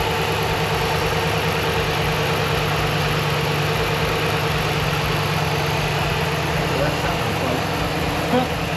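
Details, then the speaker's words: RAM pickup's replacement engine at its first start after the engine work. Steady, even idle with a smooth low rumble and no knocks or ticks; normal idle, though a trouble code is present. "All right. Well, runs. Sounds good."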